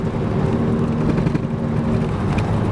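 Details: Opel Vectra A driving at speed: a steady low drone under road noise that fades when turning right, from a worn wheel bearing.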